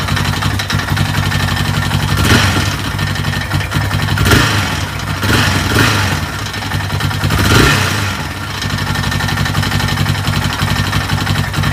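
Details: Yamaha Raptor YFM 660R single-cylinder ATV: loose, clattery knock riding on each firing at idle, sharper on brief blips; engine knock, cause not clear.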